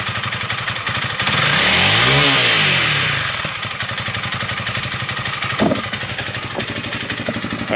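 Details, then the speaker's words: Honda CRF300L single-cylinder, warmed up, back from dealer after fix of weird sounds at 7,500–8,000 rpm: crisp rev climbs smoothly and falls back to steady idle, no odd buzz or rattle at high revs; problem gone. "so obviously that sounds a little bit better than what it did before uh it was making the weird sounds in that 75 to 8000 rpm rev range so not doing it anymore"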